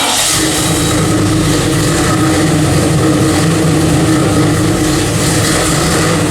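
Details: 1995 Chevy 4x4 with a brand-new freshly built motor, first fire-up after fitting new dual exhaust: deep, even V8 rumble with no misses, ticks or knocks; runs healthy.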